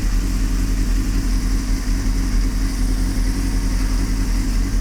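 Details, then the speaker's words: 1998 Honda CBR600 inline-four, choke touched, revved a little: deep steady burble with a slightly uneven beat, hesitated to start; slightly rough idle, running lean, owner suspects the intake manifold rubbers, though better and rideable. "so it's better definitely ridable and solidly within the spectrum of all Road goinging CBR 600s"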